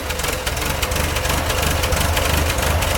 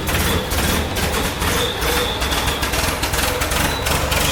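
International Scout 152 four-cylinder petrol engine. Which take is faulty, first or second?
first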